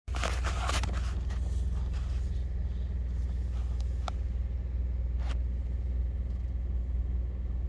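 Steady low idle with a faint, loose rattle riding on it, no rev change; something vibrating loose while idling in drive.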